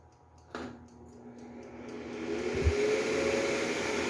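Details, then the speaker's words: Mondial Pratic 2.4L air fryer, about 1.5 years old, after tightening and reassembly to fix a strange noise: switches on to a smooth, steady fan whoosh and low hum, only normal fan sound, no rattling. "que vem só só diferença é apenas um barulho do ventilador condicionado"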